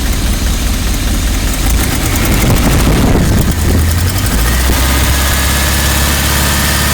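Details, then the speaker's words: 1986 Rolls-Royce Silver Spirit II V8, parked since 2022, idling just after all 8 replaced: loud idle, much better but uneven low beat with occasional stumble, slight misfire remains; dislikes full throttle, owner suspects fuel next. "Right, she's better. A lot better. Still misfiring ever so slightly."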